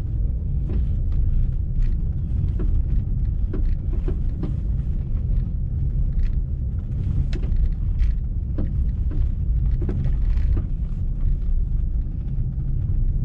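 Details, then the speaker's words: Car driving on road: irregular sharp front clunks with bumps over steady road rumble; owner suspects a loose stabilizer link nut, also knocks when the fender is lifted and lowered; not confirmed. "galera esse barulho que tá fazendo aí eu tô suspeitando que é só a porca da bieleta Bamba vou dar uma apertada nela aqui para ver"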